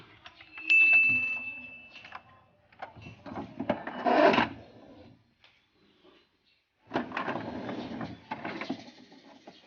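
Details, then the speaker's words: HP Ink Advantage 3835 printer works normally but is loud: clattering, rattling bursts as the carriage moves, attributed to the carriage belt slipping/skipping; fix involves removing four screws to open the cover. "โอเคครับก็จากที่ดูอาการกันไปนะครับผมไอ้ตัวนี้นะครับอาการที่มันมีเสียงดังเนี่ยถ้าเกิดจากสายพานเครื่องนะครับ"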